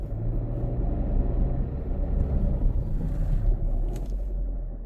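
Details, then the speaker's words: Rumbling while rolling in gear on a 2019 Kia Forte towed in for running rough; runs fine in neutral. Deep churning rumble, no knock, from inside the transmission; suspected failed pinion bearing or torque converter coming apart, not confirmed. "You hear it just rolling? That sounds like a pinion bearing or something has failed."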